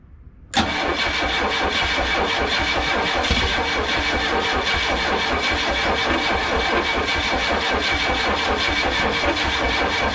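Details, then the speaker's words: Chrysler LeBaron cranking on a new battery; fuel pump primes but distributor was installed 180 degrees out, rotor not at number one. Steady fast cranking that never catches; cranks but will not start. "and i had the distributor 180 off though so that was my big issue"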